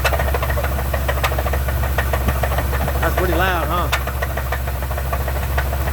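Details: Truck engine with suspected rod knock: steady deep knocking in time with the engine at about three per second; owner believes something broke in the motor and plans a shop visit, not proven.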